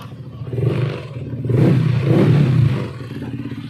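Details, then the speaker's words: Yamaha NMAX v1 scooter revved in short blips after repair of camshaft bearing: smooth, the former "helicopter" rattle and knocking gone; normal engine running. "Wala na po yung ah kalaksing niya diyan at yung ah tunog helicopter na wala na. Ayan oh. Napakagandang andar na. Wala na yung kumakatok-katok."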